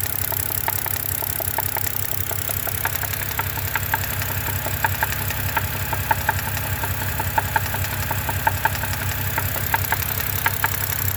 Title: 2011 BMW 328 N52 148K rod knocking?